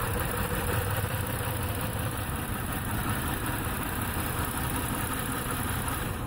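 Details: 2008 Ford Taurus X V6 with a lumpy, uneven idle and a steady low stumble. Codes show an injector pulse fault on cylinder 1 with no injection there; the fault is expected on the computer-controlled ground side.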